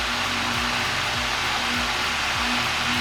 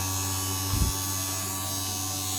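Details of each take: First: 1950s IEW Tara 16-inch DC vintage table fan, series-wound DC motor with brushes, on high speed: strong, even rush of air over low motor hum, no knocks or rattles; runs smoothly with high torque. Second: 1950s IEW Tara 16-inch vintage DC series-motor table fan run with its blades removed, so the motor has no load; a high, steady whine with a buzzy edge as it overspeeds and sounds strained.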